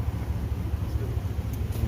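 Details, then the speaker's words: 1999-2006 Chevy/GMC Suburban after replacing the rattling catalytic converter: deep steady idle rumble with an even beat, no rattle or buzz; normal idle after repair. "it sounds good it's not even rattling anymore no idle no more noise it was so loud see it sounds perfect"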